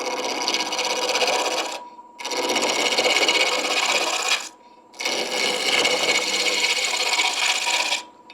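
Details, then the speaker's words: Ash bud vase blank on a Shopsmith MARK 7 lathe at about 1,000 rpm: repeated clean hissing gouge passes with short pauses, the cut changing from clunking on the corners to hissing once the blank is a cylinder. "You can hear the the sound of the cutting change. It goes from clunking to hissing when I go from cutting off the corners to cutting the [Music] cylinder."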